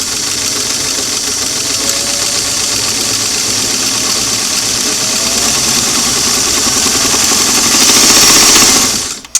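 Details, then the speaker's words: Sewing machine on a fully restored, cleaned and adjusted Singer clamshell foot pedal: the motor hums smoothly and climbs from very slow to fast with an even stitching rhythm; smooth graded speed control instead of nothing-then-full. "now instead of going from nothing to to almost fill out we can we can go very slow slow medium fast for a long scene Wow very nice"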